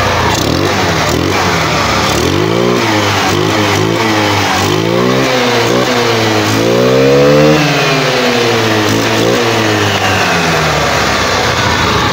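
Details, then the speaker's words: GY6 150cc Microbike EXO150 after 24mm Keihin carb install, open carb with no air filter: repeated throttle blips, pitch climbing and falling crisply with no stumble; good throttle response. "So yun kaboss amo, maganda rin yung response ng kanyang throttle."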